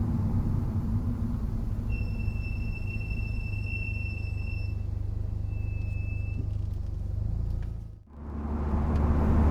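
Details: Subaru Impreza STI Spec C with Brembo calipers and Endless MX72 pads fitted without anti-noise shims: steady high squeal over road rumble, only under gentle braking.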